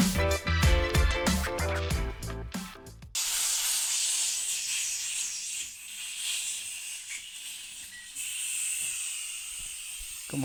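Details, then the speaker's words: DeWalt air compressor leaking heavily at the tank drain valve (part N286039), so it won't shut off and is slow to charge; a steady high hiss of escaping air after a burst of music; valve to be replaced. "Y como pueden escuchar, ya está tirando mucho aire y debido a eso no se está apagando y también eh tarda en cargar."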